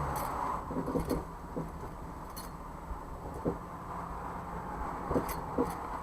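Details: Jeep CJ5 driving in lazy 8's in a parking lot, then stopped with the wheel turned back and forth: sharp, irregular pops and clicks from the front end over a low idle; the source is unknown, possibly U-joints, ball joints or steering parts.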